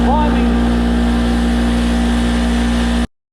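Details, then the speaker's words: Craftsman 220 V, 6 hp, 33 gallon twin-cylinder oil-free air compressor after replacing leaking regulator: loud steady low drone with even pumping beat, no knocks or rattles; building pressure normally after repair. "I'll turn it on. It's going to be pretty loud."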